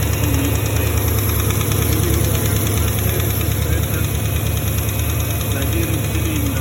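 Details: Porsche Cayenne 4.5 V8 at idle: faint, fairly regular knock about two per second over the rumble; cause unclear, owner suspects something in the cylinders, engine to be disassembled.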